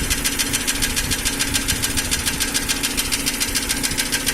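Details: Nissan Almera N16 at idle: a crisp, even ticking a bit over twice per second. It appeared about 3000 km after piston rings and valve stem seals were replaced and does not change with speed. Solved: the intake valve clearances were too tight.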